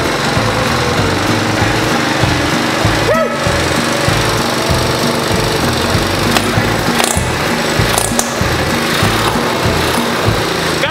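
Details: Single-cylinder drivetrain donor engine for a 1969 Roof Palomino lawn mower Jeep project, started with choke and compression release: chugs steadily with uneven mechanical clatter and handling noise; runs normally and pulls fine, reverse works.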